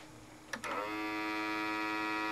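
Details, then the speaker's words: RCA SelectaVision SJT 200 CED player, bought broken, hooked up via RCA video and audio outputs and switched on before inserting a disc: soft click, then a steady mid-pitched hum that stays unchanged; abnormal hum at power-on. "whoa what's that weird noise"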